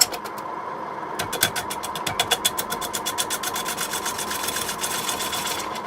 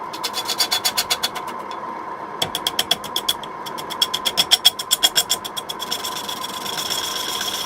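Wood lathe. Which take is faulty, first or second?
first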